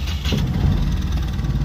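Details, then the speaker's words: Mahindra Supro diesel after repair of a chafed, broken injector wire (code P0201) and loose common-rail coupler: brief steady, even low idle clatter, no stumbles or knocks, no check light; engine now starts and runs normally. "यह देखिए अभी य normal start है यह देखिए कोई भी unwanted sign नहीं है"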